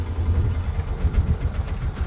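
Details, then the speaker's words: 2005 Polaris Ranger, believed 500, 487 hours, warm: low, uneven idle thump that sags and slowly dies once the choke is pushed in; starts and idles on choke; clogged carburetor pilot jet starving the idle circuit, fixed by cleaning it. "The minute I put the choke in, she slowly dies."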